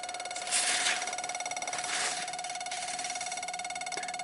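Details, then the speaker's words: 1995 Dodge Ram 2500 V10, cold no-start in cool weather despite many replaced parts: fast steady clicking about a dozen per second under a faint tone, key on; ASD and fuel pump relays apparently chattering, cause not found. "So, ASD relay and the fuel pump relay are starting to wake up, I guess."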